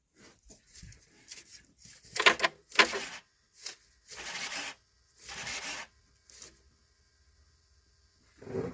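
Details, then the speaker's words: Chevy Avalanche with P0690 ECM power relay code, relay replaced, stalling after running: irregular sharp crackling bursts with quiet gaps while engine runs; arcing loose ground wire. "Hear that? Got a loose ground. Yeah. See the arc right there."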